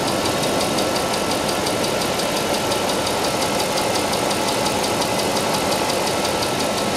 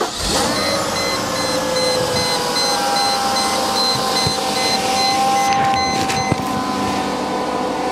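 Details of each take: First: Mercedes SL 500 R129 V8, about 85,000–90,000 km, ex-Japan; steady idle with faint regular fast ticking from the left cylinder bank after reassembly, suspected noisy hydraulic lifter, still present. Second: Mercedes SL 500 R129 V8, about 85,000–90,000 km, first start after the weekend, checked for a reported rattle also heard while driving: it idles quietly and evenly with no rattle or knock; quiet idle, no rattle.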